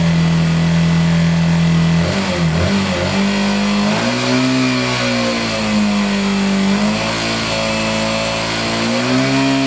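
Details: Yamaha Factor 150 single-cylinder motorcycle after repair and stator replacement, throttle blipped: clean, steady rise and fall in pitch with no knocks or rattles; the former alarming noise is gone, engine healthy.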